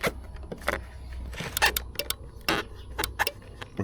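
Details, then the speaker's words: Toyota RAV4 (ACA30) with dead horn: sharp irregular relay clicks over low hum and no horn tone while probing the green relay ground wire from clockspring and horn pad; horn circuit found to have no path to ground, fixed with a new cable. "can already hear the relay clicking. So, this green wire is actually the ground for the relay."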